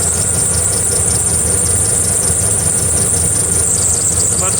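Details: 2009-2014 Dodge RAM 1500 5.7L HEMI V8 at idle with a shrill, pulsing squeal; the serpentine belt is slipping and chirping. Re-seating the belt didn't help, so a new belt and tensioner were fitted.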